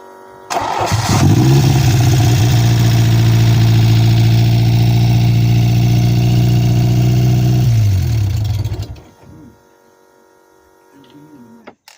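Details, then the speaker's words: Peugeot 405 Mi16 16V, first start after 5 years, cold: catches and settles into a fast, steady idle well above normal until switched off; high idle traced to faulty idle stepper motor, which was then changed. "Actually stepper motor, because idle was high. Let's see how it works now."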